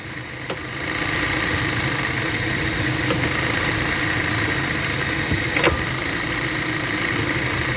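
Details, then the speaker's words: 2011 Dodge Avenger at idle: steady idle with a dull, uneven knock about four times a second and a couple of sharper clicks from the front end; motor mount first suspected, cause unclear; front-end noise at idle. "i got a 2011 dodge adventure today it came in with a weird noise check the end thought it was a motor mount at first"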